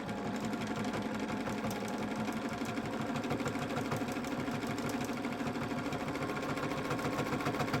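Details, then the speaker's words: Free-motion sewing through densely woven hand-dyed fabric with size 90 double needle, oversized for the thread: fast even stitching rattle with dull thump each stroke as needle punches through; thinner needle would be better. "and it's very densely woven, so I can hear the needle kind of thumping through the fabric."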